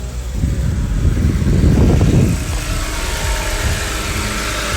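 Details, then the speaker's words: BMW E91 325xi wagon that sat three years, first start after replacing a box in the back: engine catches with a brief surge, then settles to a steady, even idle with no knocks or misses; sounds healthy, slight burnt-oil smell. "Well, the wagon lives. How insane. It's alive. What the heck? That's sick. Good to know. Sounds good. Sounds healthy."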